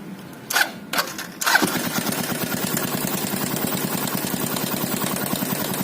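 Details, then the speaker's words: 2012 Yamaha Byson carburetted, before cam chain and tensioner replacement; fires and idles with a fast, busy metallic rattle over the beat from the slack cam chain: cam chain rattle. "ini adalah alasan saya bukan apa ganti rantai kamrat soalnya mesinnya bunyi kayak gini kek coba dengarkan ya rantai kamrat"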